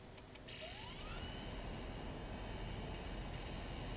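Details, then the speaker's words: Magnavox ZV427MG9A (Funai) DVD recorder after bad capacitor replacement and cleaning, microphone close to the DVD mechanism: motor whine climbs smoothly then settles to a steady high whir; normal disc spin-up and reading. "so those are the sounds it should make when it's going to play correctly especially the two little beeps you hear out of it the uh boo-boo if it doesn't make those sounds"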